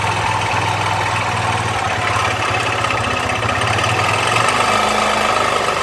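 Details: Honda Fan 125 motorcycle: small single idling with an uneven, clattery tapping over the exhaust beat, not settling into a clean rhythm; unidentified abnormal internal engine noise.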